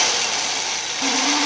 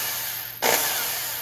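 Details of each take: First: 30-year-old Black and Decker drill: steady whir, then sharper mid-pitched whine cuts in; owner blames dust wearing bronze sleeve bushings and abrading the shaft so it fits loosely. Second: Second Black and Decker drill, compared with a 30-year-old one whose bearings gave trouble: spins up sharply to a smooth, even high whir with no grinding or rattle, spinning far more freely; bearings sound fine.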